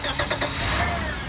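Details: 2006 Subaru Outback 3.0 H6, previously not turning over, just after a new starter was fitted: brief quick crank, then it catches cleanly and settles into a smooth idle; starter engages normally; normal start.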